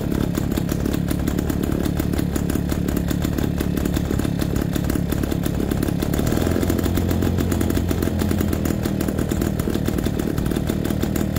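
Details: MZ BK 350 two-stroke motorcycle on its first start after restoration: a busy, even beat holding a steady fast idle throughout, with no knocks or misses. The engine runs healthy.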